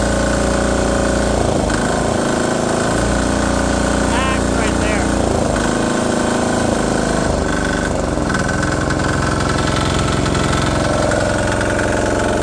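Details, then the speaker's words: DIY 3HP 1.5kW single-cylinder generator idling on first start after new muffler fitted: steady, fast, even beat with loud raw exhaust bark; quieter than before but still loud, muffler needs more support. Runs normally. "but much quieter. It's still loud as hell, that knocking, man, and it's idling right now."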